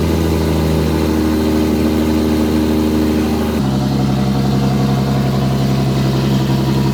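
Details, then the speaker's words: First start of AWD-converted Nissan S13 with freshly built RB26 3.0L billet block, Precision 88 turbo, R35 GT-R coils: strong, even low rumble with steady lumpy pulse at idle, no knocks or misses; idling cleanly. "Getting flash these S13s, all-wheel drive, push button start."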